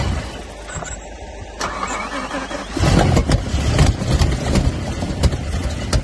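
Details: BMW M5 E60 after an engine rebuild: cranking, then ragged, uneven firing and sputtering that never settles into a run, with smoking and misfiring. Engine cranks but won't start.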